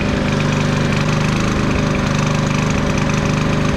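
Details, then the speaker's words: 11-year-old Champion generator warming up: the small engine's beat won't settle, easing up and down, and the surging idle gets more pronounced once warm. The owner attributes it to a dirty fuel system and says the carburetor needs cleaning again. "Once it warms up, it's a more definitive up and down, up and down, up and down. It's starting to do it a little bit, see? That's what it does."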